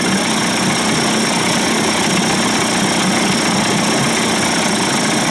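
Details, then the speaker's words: Johnson/Evinrude 25-to-35 hp conversion two-stroke outboard in a test barrel after low-speed timing sync, fuel pump and bypass cover swap: smooth, even buzzy idle held a touch high with no misses or surges; runs well. "I like my Motors to run a little high she sounds good man"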